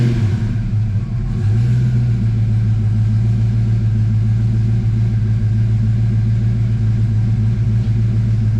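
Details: Foxbody Mustang (1993 or earlier) that had a crank no-start with no spark, started after replacing an ignition coil open on the secondary: engine catches, then settles into an even low idle rumble with no misses or stumbles; problem solved.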